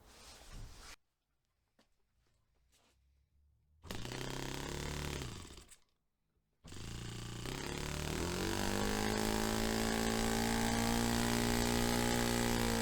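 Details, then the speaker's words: Rebuilt Saito FA-45 Special on a test stand, 10% nitro, tuned quite rich for a clean low-to-high transition. It picks up cleanly a few times, then cuts out on a full-throttle push; the owner is unsure whether it is too rich. "So I've got it on a reasonable, quite a rich tune now, I think, just to try and get a clean transition from low to high, and it works a few times, and then on a final time when I give it a push up to full throttle it cuts out."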